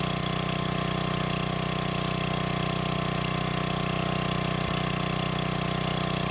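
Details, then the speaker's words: Old gasoline generator revived after fuelling and freeing a stuck governor: steady, even idle thump at constant speed with no hunting or surging; runs properly and puts out voltage in the proper range; normal governed idle. "it turns out not not too much of a Revival will it start all I had to do is put gas in it um fix a stuck Governor"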